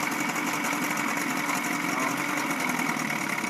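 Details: 1976–1980 Chrysler Sailor 250 10HP long-shaft two-stroke outboard with electric start, a parts motor running after a head resurface and new head gasket, with good compression and the water pump working: a steady, even buzz at idle with no misses, knocks or rattles, so it is healthy.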